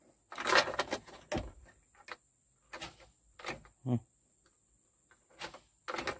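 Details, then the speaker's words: Komatsu PC200-7 excavator, key start with battery terminals checked tight and clean: sharp irregular tek-tek clicks, starter does not turn; suspected dirty or burnt solenoid plunger contacts, starter to be removed. "itulah teman-teman ya stek stek gitu Oke kesimpulannya Kita berarti kita akan coba bongkar saja ya teman-temannya dinamo starternya teman-teman ini sudah fix ini tidak bisa ini starternya sana ya"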